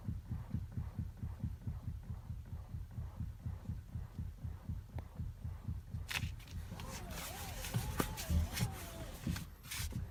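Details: Toyota Avensis: soft, regular low thumps about twice a second as the steering wheel turns; knock when turning, source not pinned down.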